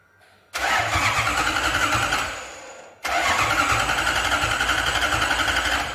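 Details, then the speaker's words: Lexus IS200 with a 1UZ V8 swap on an ECU Master ECU and harness, first start attempt: two bursts of steady, even cranking at about four beats a second that never fire. Cranks but no ignition; the fuel pump also wasn't switching on. "Pas d'allumage."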